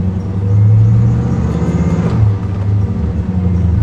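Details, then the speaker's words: Chevy Corvette C1 restomod with supercharged LT4 V8, rebuilt after a crash, heard on a drive: deep, loud, even rumble swelling as it pulls away, no knocks or rattles; healthy V8 exhaust note. "car sounds bitching oh yeah it sounds really good it's something about Corvettes and the fiberglass they have that Rumble I like that deep Rumble"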